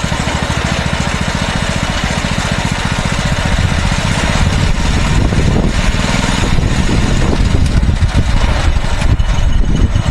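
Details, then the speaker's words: Mini bike small single-cylinder engine after removing the spring to cure stalling: steady even firing with no stumbles; running normally, though carb still gums up the spark plug and needs replacing. "I did fix it pretty well, but the carburetor definitely needs to be replaced eventually."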